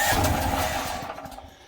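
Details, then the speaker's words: DuroMax portable house generator run on propane, choke then idle controller tried: engine catches with a rough burst of revs then fades within two seconds; fires briefly but won't keep running. "so she's not running baby so that's what we have right there"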